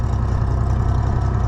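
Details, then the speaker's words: Oliver 1650 tractor after a governor repair, with old governor pieces possibly loose in the oil pan: a steady low idle thump with a faint quick tick on top, probably from the top end. The mechanic dislikes the tick; its cause is unconfirmed. "The old tractor's got some other issues, I think, but it has a little bit of a tick to it, which I'm not a fan of, but"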